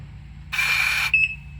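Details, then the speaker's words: Front diff lock actuator off a 2023 Gen 3 Can-Am Outlander 700, bench-tested with cover off after water entered its connector: brief half-second electric whir then a couple of sharp beeps as it shifts; motor drives smoothly and completes shift. "Okay, now I go to diff lock. Turned it out. Oh, hit the green button to wake it up. There you go. Dude, that's pretty sweet."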